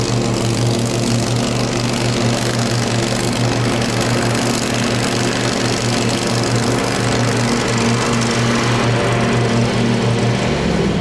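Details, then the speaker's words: Craftsman FS 5500 lawn tractor before its carburetor was cleaned: the small single-cylinder engine runs with an uneven rhythm, its speed wavering up and down; it is surging, and the owner says there was dirt in the carburetor. "Got something matter with it. Something about the game. I had dirt in the carburetor."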